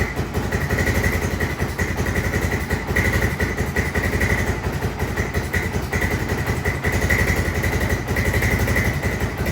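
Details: 1996 Honda FourTrax 300EX ATV, original carb rebuilt and reinstalled after a no-start: the single thumps along at a brisk, slightly uneven idle, faster than it should; idle set too high, needs backing off.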